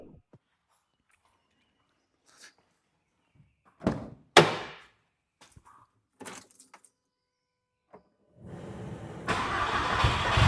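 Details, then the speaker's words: Cold start of a turbocharged Audi-engined Clio 172 after R8 coil-on-plug conversion, 3-inch turbo-to-tip exhaust with a Pro Fusion box: clicks, then it catches and settles into an even, fairly muted idle, a healthy cold start. "just like that and uh it's not all that loud to be honest I made it so it isn't too loud"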